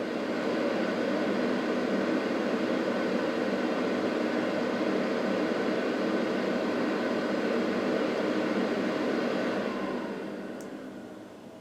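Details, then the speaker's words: Truck camper diesel heater after switch-off: steady, even fan rush with no rattle, cooling the heat sink, then winding down and shutting off; normal cool-down run. "You can hear it kicked up now. It's pretty much just cooling down the heat sink in there, and it'll eventually shut off."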